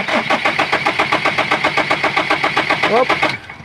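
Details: Foton Thunder hard start, owner also reports low power. The starter churns at an even four beats a second for over three seconds and never clearly fires before cutting off. Cause unknown.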